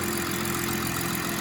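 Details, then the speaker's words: 2016/2017 BMW 340i idling after a VRSF charge pipe replaced the plastic OEM pipe; steady, even idle with a faint constant hum, no hiss or flutter, no surge, no leaks, normal idle. "I was gonna say the idle was gonna surge your shit. You're fine though. There's no leaks."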